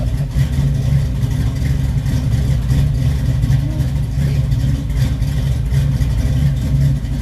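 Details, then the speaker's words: 1969 Camaro SS, originally a 350 but the owner is unsure it still is and says it is "juiced up", cranks into a deep, choppy, loping idle over a strong low rumble; the owner believes it has an aftermarket cam. "Holy cow, this thing is something. Listen to this, folks, if it'll crank. I'd say it has a cam in it, wouldn't you, folks? I believe it has a cam."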